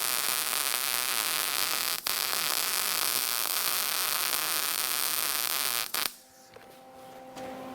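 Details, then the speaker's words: Lincoln 135 Plus MIG welder whose gas valve intermittently failed to pass gas, now after repair: a steady, even hiss of shielding gas for about six seconds, then a clean shutoff. Gas flow is normal; previously nothing was heard. "it's not like it's hard to hear hear it you can hear the gas go there before we could hear nothing"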